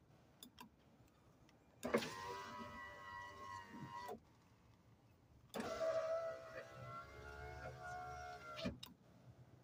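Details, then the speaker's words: 2004 Nissan Murano 3.5L SL driver's door: after the window regulator was replaced and greased, the power window gives two smooth, even motor runs of about two and three seconds with no grinding or binding, so the regulator works normally. "I think that thing slides up and down nice. Yeah, sure does."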